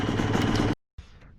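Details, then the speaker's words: 2002 Yamaha YZ125 two-stroke dirt bike idling steadily after carburetor cleaning and new parts, during break-in with choke used to run rich; the crank sounds good, with no knocking or clattering. "Running really good too. And I knew it would. Crank sounds good. There's no knocking or clattering,"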